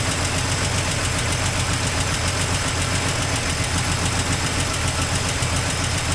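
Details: 1984 Toyota Land Cruiser FJ60 first run in many years: loud steady idle with ragged, uneven chuffing around 220 pulses a minute, with an exhaust leak noted. Rough, unsettled running, cause unconfirmed.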